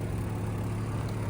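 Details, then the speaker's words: 2002 Jeep Grand Cherokee WJ just after an engine replacement, at idle: a raspy, go-kart-like putter over the engine note. The exhaust is leaking because it was cut off earlier and has holes in it. "noise to it. It's your exhaust. There's holes in it."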